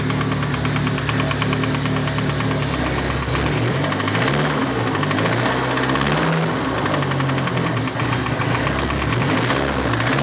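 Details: Freshly installed used SR20DET turbo four at idle, knocking the day after installation: a steady, deep, loud knock rides evenly on every turn, sounding like a worn rod bearing; rod knock.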